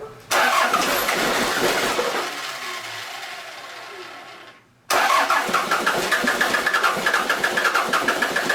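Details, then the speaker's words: Toyota Land Cruiser 3B 3.4 L naturally aspirated diesel, out of a 1981 BJ60, sitting six or seven years, started on glow plugs with air still in fuel: fires, fades, restarts, settles into rough but even clattering idle about four beats a second. "okay and carter yeah she started up feed her a few more there's still some air bubbles in here obviously but she's gonna go just like that these three bees never fail just give them some glove plug and fire off"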